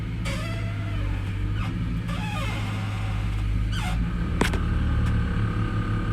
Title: Horrible creaking noise crown Vic